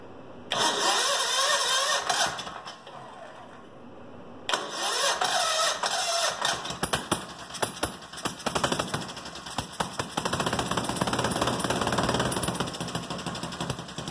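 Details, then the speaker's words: Goofy Cart 2 engine, first start in about two years after being rebuilt, gravity-fed from the gas tank in a cold shop. It catches, dies, restarts and settles into an uneven popping buzz. Normal first start. "that's the first start in a long time and that's pulling from the gas tank"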